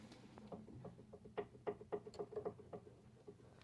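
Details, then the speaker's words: Peugeot 206 suspension, sway bar link (bieleta) rocked by hand: sharp uneven clicks and light knocks about four a second; worn stabilizer link with play, not visibly broken, while shock absorber, control arms and ball joints are fine. "não sei se dá para escutar o barulho. Ele tá com folga na bieleta, tá?"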